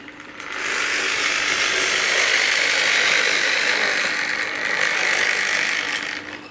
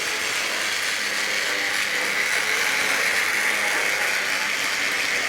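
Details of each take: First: Tri-ang RS8 Midlander set loco on a Triumph Westminster controller running mostly in half wave: harsh buzzing motor with steady hum and gritty rasp; half-wave drive makes the motor noisy. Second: Tri-ang RS8 Midlander loco after swapping to a P5 full-wave controller, pulling coaches around the Super 4 track: even high buzzing whir with light gear chatter, still a little noisy but less harsh; normal running.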